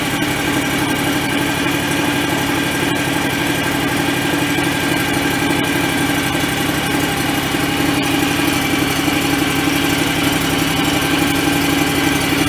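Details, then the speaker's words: John Deere X738 restarted after a fuel filter change with possible air in the lines: made weird sounds on the first attempt, then a steady, even drone with a constant hum and no misses or knocks; running fine. "yeah so it made some weird sounds let's try that again that sounds fine"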